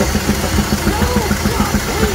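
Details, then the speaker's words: Doosan G2 forklift engine idling with intake hose removed, after the No.1 and No.2 injectors were repaired and replaced: a steady sharp knock about seven per second persists. Cause: one No.1 intake valve not opening, bent pushrod, carbon. "후입 쪽 보스를 탈거해 보니까 오킹이 심하게 들립니다 뭔가 엔진 흡기 쪽에 문제가 아닌가 강력하게 의심이 됩니다"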